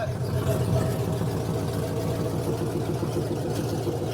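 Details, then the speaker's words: First start of freshly built V8 just installed in a mud truck, 55 psi oil pressure, cold evening: steady even idle with smooth regular beat, no knocks or ticks; sounds healthy. "sounds good R it up 55 sound pretty good sounds good"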